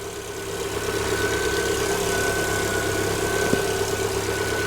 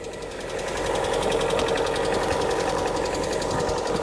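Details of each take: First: 2018 Lada Vesta 1.6, 84,000 km, about 5–7 minutes after a −32°C cold start: steady, even idle hum with a faint high whine and no top-end ticking. The hydraulic lifters have pumped up and it runs normally. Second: 2018 Lada Vesta 1.6, 84,000 km, cold start at -32°C, mic under the hood: fast, light metallic clatter of about four ticks a second at idle; hydraulic lifters tapping, possibly slight piston noise too.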